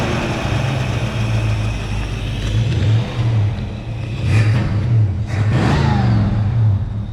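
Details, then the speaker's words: 1966 Ford Mustang 2+2 Fastback, 82,000 miles, sitting for years, fuel pump just replaced: engine runs rough and uneven with low rumble, revs sag and falter, then dies; stalls after running, cause unclear, possibly needs oil. "Yeah, it quit. No, that's. I can hear it now. Yeah, Or if we just need to get some oil in it."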